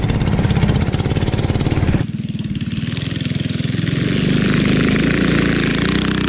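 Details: 1971 Go Devil Model 104 mini bike, Tecumseh HS40 engine, revived and pull-started: small single-cylinder pops along at a steady lively beat with no knocks or rattles; running healthy.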